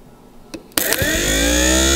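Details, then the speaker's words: Power window hydraulic pump from a 1953 Oldsmobile 98, bench-tested on the table by jumping its solenoid: a click, then the motor whirs up to a smooth, steady whine with no grinding, spinning freely. This is the normal sound when the windows are operated. "that's good that's the sound you're going to hear when you hit the windows"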